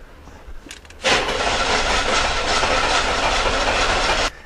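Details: Owner thinks it is a 1991 or 1992 Olds 98 with a no-start, cranked while watching the fuel pressure gauge. About three seconds of uneven, fast cranking with no firing; a slight gauge movement suggests the injectors are firing; cause still unconfirmed.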